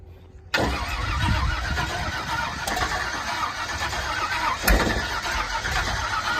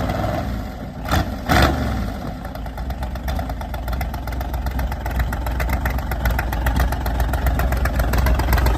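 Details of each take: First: Race vehicle (Sunburn), carbureted, fired up just after fueling: short crank, then a loud, ragged, uneven idle that slowly clears; badly flooded, float level being checked, smaller jets suspected. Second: Volvo car just fired up after being flooded and breaking up: after a couple of blips it settles into a fairly steady, even idle with regular firing. The float level is being checked, and smaller carb jets are suspected to be needed.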